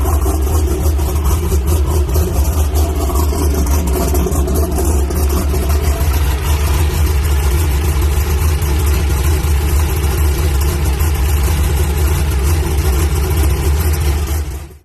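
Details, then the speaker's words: Drag race car at Brainerd International Raceway, fired up despite an oil leak, possibly at the rear: deep, steady, heavy V8 rumble holding even with no misses or knocks; healthy race engine running. "Well guys, as you saw, got the car fired up. Sounds good. I love the sound of this car. Oh man, that sounds awesome."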